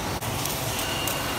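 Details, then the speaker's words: Clutch release bearing spun by hand after removal during a clutch disc replacement: rough, gritty growl showing it is worn and must be replaced. "bisa didengarkan, ngorok suaranya, ini perlu diganti. Ini drag locker atau biasa bahasa tekniknya adalah release bearing."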